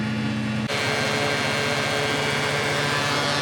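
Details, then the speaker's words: Classic Porsche idling: constant loud rushing fan drone with steady tones over faint idle pulse about four per second; cooling fan excessively noisy. "Bloody fan is so noisy. I've just got to put the uh new piece that I bought into here and put it all back together."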